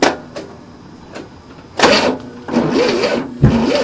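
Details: 1967 Cadillac, not started for 30 years, with a new starter and retarded timing: irregular bursts of cranking about once a second, never catching, with a fuel smell and the choke fiddled open. A flooded no-start is suspected.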